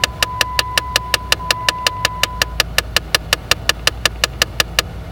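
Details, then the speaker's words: 2012 Jeep Patriot, behind the dash by the cabin fan/glovebox: sharp, even clicking about five or six per second from the HVAC vent-door actuator when changing ventilation modes or during its start-up self-test; owner suspects the overloaded motor is pushing past its stop. "so weird problem that we have is when turn on the car and change ventilation modes it gives a strange clicking noise"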